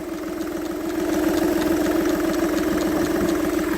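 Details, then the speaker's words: Ford Ka, 116,000 miles, idling; quick steady ticking about three per second heard louder in the engine bay, traced to a small solenoid for the vacuum pipes, not the engine internals. Vacuum solenoid clicking. "in Bay nice color coolant I noticed it was actually this that is a little solenoid for all the um vacuum pipes there"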